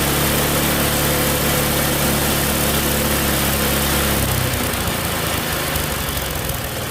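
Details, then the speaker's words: Tecumseh snowblower engine after a carb clean: races high and flat with no governor control, lowest it will go, then the note sags near the end; governor linkage reinstalled in the wrong carburetor hole. "try it again well definitely a Reb's High that's really the lowest it goes from that Governor's spring maybe"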